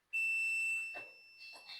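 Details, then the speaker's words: Multimeter continuity check of ground on Nissan D23 21-plate diesel with ECU offline and repeatedly blown 20A ECU fuse: clean, steady high beep under a second; good ground confirmed. "So at the moment we are checking the ground,"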